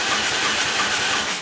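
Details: Turbo EFI lawn mower engine with newly wired trigger wheel and crank sensor, possibly too large an air gap; quick even cranking at about six beats per second, never catching: cranks but no start.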